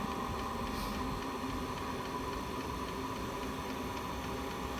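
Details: Chinese diesel heater with E-08 code: steady fan rush with a soft, even fuel-pump tick throughout; heater running normally.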